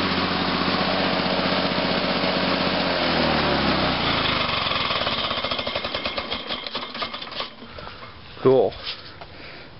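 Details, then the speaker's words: 1986 Lawn-Boy 8461 Commercial two-stroke mower on 32:1 mix, cold-started at about 61°F after sitting about a week: a crisp, even buzz for a few seconds, then it winds down smoothly to a stop. A healthy run. "too bad two foals I just love how get this long boy runs just got to love these two stroke lawn boys"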